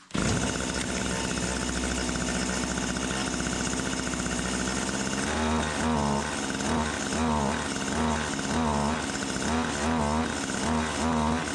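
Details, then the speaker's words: Stihl HS80 hedge trimmer two-stroke, idles fine but falls on its face on throttle, fresh fuel, choke off: runs rough, surging and sagging about once a second at wide open, never holding speed; bogging. "But anyway, wide open, it was bogging down. I gave it half choke. She revved right up."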